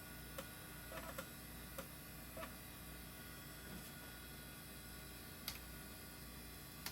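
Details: Old IDE hard drive detected as master with good SMART data, passing all tests; quiet steady spin hum with a few light irregular seek ticks, no repeating clicks or grinding; healthy drive.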